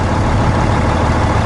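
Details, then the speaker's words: 2003 International 2574 dump truck with Cummins N14 diesel, after replacing the fuel filter feed line to cure a hard start after sitting overnight, once fuel primed: deep, even idle with steady low rumble, no stumbling; runs much smoother. "idles so much smoother too nice listen to that baby"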